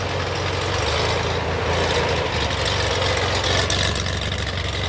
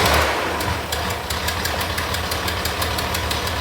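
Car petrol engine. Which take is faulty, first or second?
second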